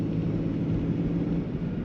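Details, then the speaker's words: 2015 Ford Transit 350 at steady speed after replacing the driver's side front wheel hub assembly (bearing) and a caliper pin: smooth, low road rumble, the grumbling bearing noise gone. "No more grumbling sound, so it looks like we're good for Christmas morning."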